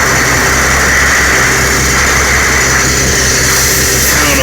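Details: 1975 Kenworth LW924 with diesel engine running: steady high-pitched hiss of the air brake system leak, traced to a rusted, worn-through spot on the in-cab air tank, probably corrosion plus rubbing wear.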